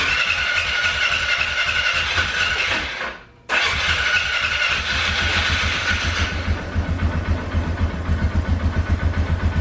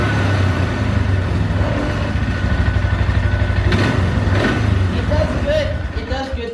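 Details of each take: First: 2012 Polaris Sportsman 400 HO that bogged down and died, after idle fix: cranks, catches after a brief pause, then settles into a steady, even thumping idle without stumbling; normal start and idle. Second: 2012 Polaris Sportsman 400 HO carbureted ATV: starts and idles fine, but on certain throttle responses, especially letting off, revs surge unevenly then sag and die; suspected gummed-up carburetor; cracked intake-to-carb boot also found.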